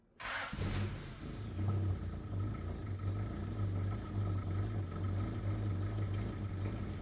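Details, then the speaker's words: Abandoned high-mileage Honda CRX after plugging back in a missed connector, with new timing belt and spark plugs: brief crank, then smooth, steady low idle without knocks, misses or ticks; runs perfectly. "as you can hear, it's running perfectly. It's running even better than after I changed the timing belt."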